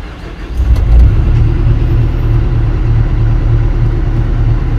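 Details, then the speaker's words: Kobelco SK200-10 excavator diesel after controller repair (battery charging warning fault): cranks and catches within a second, steady low even idle with no knocks or misses; error cleared. "sudah hidup ya Alhamdulillah untuk errornya sudah hilang"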